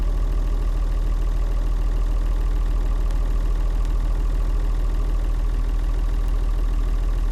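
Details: Leyland tractor with rare six-cylinder Leyland 698 diesel, described as sweet, beautiful running; deep, steady diesel thrum at idle with an even beat of about three pulses a second: normal healthy idle.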